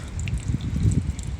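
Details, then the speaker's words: Honda Accord with water intrusion, after rerouting the sunroof drain tube behind the fender liner: soft uneven drips and light trickle as test water drains outside instead of into the cabin; drain now flowing normally. "coming right out of where it's supposed to because this drain tube is like behind this uh fender liner so that's good"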